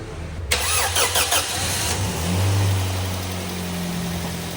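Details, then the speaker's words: Twin Z engine after overhaul for heavy oil burning (oil-fouled plugs), broken in: catches after a short crank and settles into a smooth, steady low idle with no knocks or rattles; quiet and healthy. "Walang talsik. Ayos. Tahimik na. Ganda na boss."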